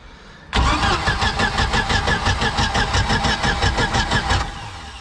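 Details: Mercruiser 3.0 boat engine running on earmuffs water supply after J-B Weld repair of a water-leaking block crack behind the exhaust manifold; catches quickly, even idle about three beats a second, no knock or miss; a water hose clamp was left off.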